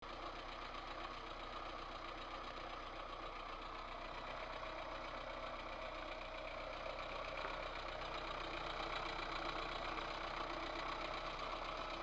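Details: VAZ 2108 1.3 L engine at steady idle, light fairly even tapping from the top end; knock traced to two valves with large play in worn valve guides, valves themselves showing no felt wear.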